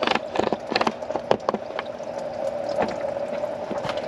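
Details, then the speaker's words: 2006 Chrysler 300 SRT8 after camshaft install, bleeding the cooling system; irregular gurgling pops and spitting over a quiet hum, easing to a steadier flow as air leaves the coolant bleeder; trapped air in cooling system. "Yeah, that'll get bubbles out. You'll hear all the trapped air coming out of there."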